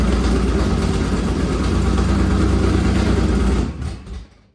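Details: Dad-built carbureted V8 on a borrowed carburettor, with headers: strong, even roar at fast idle with steady firing pulses, no knocks or misses, then clean shutdown; normal running.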